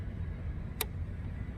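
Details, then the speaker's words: 2014 Dodge Challenger 5.7 Hemi, crank-no-start: ASD relay toggled via scan-tool functional test gives two sharp clicks, switching normally, yet P0688 returns; cause was a loose terminal at TIPM connector C6 pin 9. "so you can hear and feel the asd relay switching on and off"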